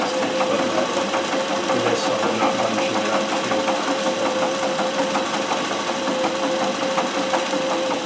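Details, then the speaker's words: Singer 411G on a treadle with a custom heavy balance wheel, sewing built-in decorative stitches such as the pyramid stitch. Even, steady clatter at a constant treadle pace with a light tick and no knocks or binding; normal running. "so let me put on another stitch and you can see it doing some of the other built-in stitches"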